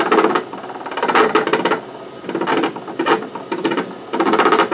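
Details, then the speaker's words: Raise3D Pro2 Plus 3D printer after a badly clogged, previously mis-repaired hotend: repeated bursts of quick sharp extruder clicks, failing to extrude; bad wire or stepper driver suspected, not confirmed. "don't think I feel like there's a I can hear it clicking it could be a bad wire I'm not sure it's pretty good yeah there's someone definitely it won't extrude right"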